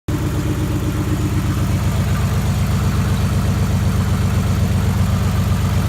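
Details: 1991 Nissan Maxima at idle after an oil and filter change: a regular tick about four times a second that keeps pace with the engine. Owner unsure whether it is injector tick or rod knock.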